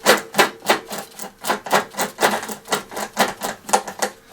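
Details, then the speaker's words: Hyundai walk-behind lawnmower in for service, rear wheel off, freewheel mechanism spun by hand: dry grating clicks about three a second in uneven rhythm; freewheel is dry, not seized, and quietens once lubricated. "Quite often they seize up, but this one's just making a noise."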